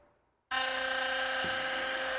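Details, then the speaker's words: Philips Sonicare electric toothbrush after long daily use: loud, harsh, steady buzz with a rattly edge as the brush-head shaft works loose and chatters with play; fix is tightening the screw inside to remove the shaft play. "Porque essa aste aqui, ó, ela vai se soltando, ela vai dando esse jogo aqui, ó. Vou mostrar até nessa câmera para ficar mais fácil vocês verem, ó. Olha só. Então, olha a diferença do barulho em relação a uma nova para uma com defeito que já foi usada há bastante tempo."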